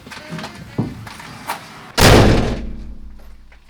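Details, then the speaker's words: Peugeot Boxer L2H2 van door with no sound deadening, before Dodo Mat is applied: a single heavy thud with a long tinny ring-out from the bare steel panel. "okay so I got some panels on that door but let's do a quick test with that door how it shuts without the doo mat and with dodo mat okay so no sound editing whatsoever"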